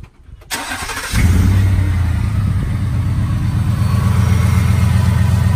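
Starter cranks briefly, engine catches and settles into a steady, even low idle with no ticking; sounds healthy.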